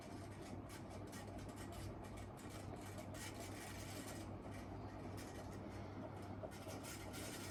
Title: Casablanca Delta ceiling fan 2/2 in reverse and bad bearings